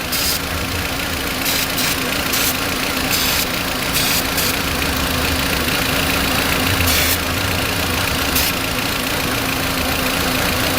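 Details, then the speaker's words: Cold Volkswagen Beetle with a rough idle and check engine light, running: short spray hisses over a rough petrol idle, with the rpm rising slightly when the spray reaches the vacuum leak at the brake booster. "we listen for the engine rpm to go up"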